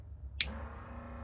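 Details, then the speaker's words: BMW E46 turbo build, electric oil scavenge pump draining the low-mounted turbo, wired through a relay and switch with ignition on: sharp click at switch-on, then a low, steady even hum; pump comes on immediately, normal pump operation. "yep there's the noise we hear it so the pump comes on right when we hit the switch love it"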